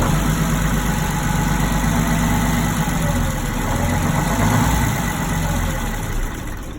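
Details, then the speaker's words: Twin Detroit Diesel 6-71 TBI marine engines (Johnson and Towers), revived after 2.5 days on a non-running boat: deep steady idle drone, firing evenly at constant speed without misses or knocks; sounds good, no water, though it doesn't seem to hold its own idle. "Sounds good, no water."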